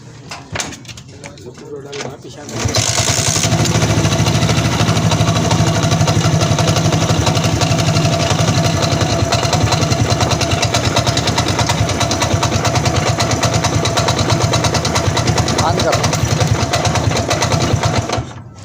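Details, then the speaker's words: 100cc motorcycle kicked over and idling with a dull uneven knock from inside, sounding like a rod knock but said not to be one; it disappears with slight throttle and returns at slow idle. "तो दोस्तों आपने आवाज सुनी होगी किस तरीके से आवाज है ऐसा है जैसे इसके अंदर य दोस्तों राड़ की आवाज होती है लेकिन यह राड़ की आवाज दोस्तों नहीं है"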